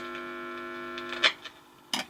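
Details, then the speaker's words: Vintage French TSF valve radio on first power-up, switched to pick-up/phono to test the audio (BF) amplifier with 50 Hz mains hum injected at the input; steady buzzy hum then clicks, amplifier works though radio bands (long/medium wave) apparently don't. "Et en fait ça permet tout simplement de tester l'ampli BF. Donc là, voilà, donc là je véhicule un signal parasite de 50 Hz directement par la prise ici."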